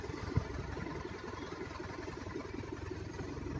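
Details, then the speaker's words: 10-year-old Mitsubishi Pajero after spraying garage-door lubricant into the steering column: the steering wheel turns with only steady low engine idle, no rubbery squeak, one faint knock early on; the noise is gone. "So now, after lubricating that one, and you will see there's no noise anymore. So that's good."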